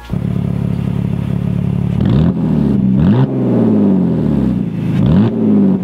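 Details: BMW E46 325i sport wagon with stock exhaust, only catalytic converters left (mufflers and resonator removed): loud, raw, rasping six-cylinder note rising and falling with revs; sounds unrefined, resonator going back in.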